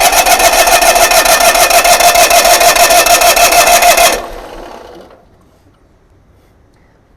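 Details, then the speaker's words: GMC motorhome generator started with a jumper wire to the coil after fuel pump priming: loud, fast whirring grind continues after the engine fires then cuts abruptly; starter hung engaged, possibly linked to circuit board fault. "basically what happened is the engine started and the starter kept engaging"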